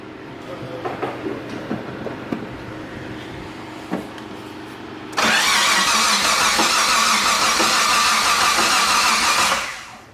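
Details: Mitsubishi 3000GT VR4 after battery connected, first start attempt: light clicks, then about five seconds of fast, even cranking without firing; no start, owner suspects no fuel. Cause suspected, not confirmed.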